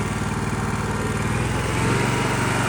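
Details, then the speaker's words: Ditch Witch 1820 trencher, 18 hp engine, after carburetor cleaning and reassembly, choke off at idle: steady, even putter at fast idle settling slightly, no misses, knocks or hunting; idle could be set slightly lower. Normal idle. "the choke is off and it's on idle. Um, I can probably get it to run just a little bit slower."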